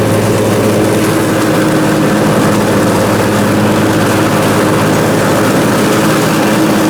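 Steady, even drone under mowing load with no surging or hunting; the twin runs smooth and sounds healthy.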